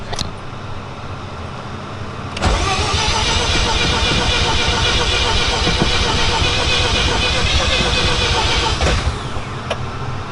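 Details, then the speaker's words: Mazda FC RX-7 with a rebuilt rotary engine, restarting with the battery low on a jumper/battery tender. The starter spins steadily at about four beats a second but never catches. Crank, no start; fuel suspected, though the gauge reads three quarters. "yeah you might need gas now I know that's fuel pressure fuel level oh no it says three quarters"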